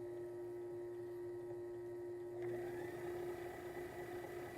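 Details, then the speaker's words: Sailrite sewing machine run on a 600 watt modified sine wave inverter: even, steady mid-pitched motor drone with no stumbling or bogging; enough power to run smoothly. "Here we have enough power that it runs very smoothly."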